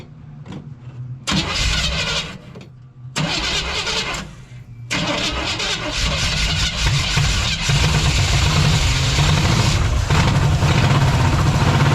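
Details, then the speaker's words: 1956 Chevy 150 with a 35-year-old engine: with the coil confirmed working, fuel is added to the fuel pump; several short cranking bursts with pauses, then it catches into a rough, loud idle; fuel delivery problem, a leak found. "So but our problem is our fueling system. So what we're going to do is we're going to put a little bit more in the fuel pump here."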